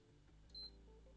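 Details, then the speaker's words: PS5 bought faulty with no display, after a previous technician's failed repair, just reworked with flux cleaned: quiet room, then a single short high beep as the console powers up; normal power-on beep. "okay it turns on does it stay on sounds good feels good looks good"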